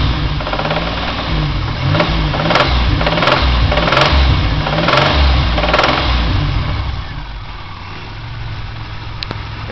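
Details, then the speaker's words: 2000 Pontiac Grand Am GT, supercharged 3.4L V6 rebuilt 2,400 miles ago, revving unloaded: sharp, regular knock above 2,000 rpm; oil analysis shows high iron, copper, lead and tin, so a failing bearing is suspected (rod knock). "it's a pretty good sign that one of the bearings is going bad makes a knocking noise above 2,000 RPMs revving with the engine unloaded"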